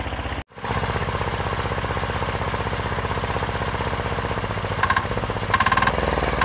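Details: Chinese 10 hp Yanmar-clone single-cylinder diesel on its first start, freshly mounted to a frame, idling with a slow, even, regular thump and no knocks or misses; runs smoky but smooth and healthy, though it vibrates the rear fenders.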